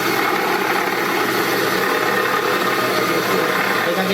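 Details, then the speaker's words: Running car engine with a busy, gritty whirring rattle, steady and constant, about half a minute; worn water pump bearing, pump blades/shaft rubbing. "eh bien, dans celle-ci cas c'est un problème avec la pompe à eau, écoute-le, ça dure environ une demi-minute,"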